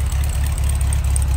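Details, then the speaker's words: 1966 VW Beetle, restored ex-California car: air-cooled flat-four idling, heard from the rear engine compartment, a steady, even low thrum with a soft regular pulse, no misses or knocks, not smoking; normal idle. "Well, first of all, just let you hear it run. That iconic VW sound. And smooth, see it's not smoking."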